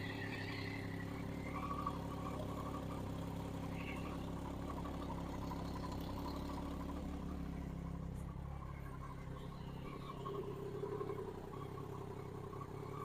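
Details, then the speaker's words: Crash-rebuilt Triumph Daytona 675 idling in neutral after a little fuel was added to an empty tank: steady, even idle with a smooth low hum and no knocks or misses; normal idle. "Yeah, that sounds a lot better. So we're in neutral."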